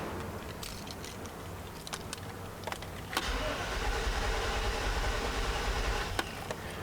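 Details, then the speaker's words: 1995 Chevy Suburban K1500 5.7L throttle body injection cranking steadily at about three turns a second but never catching, even with starter fluid; no spark confirmed, failed ignition control module suspected. "all right didn't make a single bit of difference so we know we have no spark"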